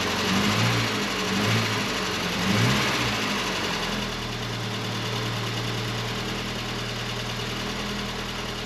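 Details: 1989 Volkswagen Cabriolet just started after sitting over 2 years, new engine wire harness fitted: slightly lumpy first few seconds, then steady, even idle with smooth settled rhythm; running fine with great oil pressure.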